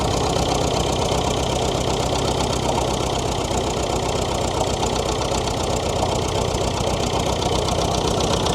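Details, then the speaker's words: David Brown diesel tractor started after sitting about 10 years, on a weak battery: even, unbroken clatter at a steady low idle with no misses or knocks; normal idle. "Have a listen to that. Like she was turned off yesterday."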